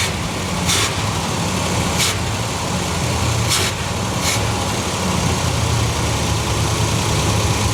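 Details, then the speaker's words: Cadillac convertible V8 buried 20 years, first start on electric fuel pump, steaming water off the engine; steady, even low rumble at idle with no misses or knocks; normal idle. "There we go. That's a good running engine."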